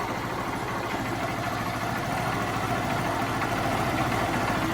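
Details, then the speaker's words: Honda Titan/Fan/Start-family single-cylinder motorcycle idling: loose rattly clatter over its beat that appears only when the clutch lever is pulled; clutch cover to be removed and oil drained to find cause. "Quando eu aperto aqui a embreagem aqui, ó. Eu aperto aqui a embreagem, ela fica gerando um barulho aqui, ó."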